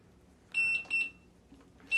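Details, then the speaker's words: Begode Monster Pro electric unicycle switched on new out of the box, in shipping mode until the lift switch button beside the power button is held: two short high-pitched beeps, a pause, then a third. "it's in shipping mode so the lift switch button is actually right here next to the power button so to undo shipping mode you hold it down"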